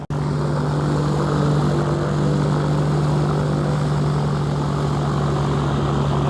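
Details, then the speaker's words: Cessna 421C twin, 375 hp per engine, at run-up before its first flight, fitted with the 310's magnetos, with the exhaust and magnetos redone; a strong, even propeller drone with no misses, sounding healthy. "oh man that thing sounds good too doesn't it 375 horse per engine"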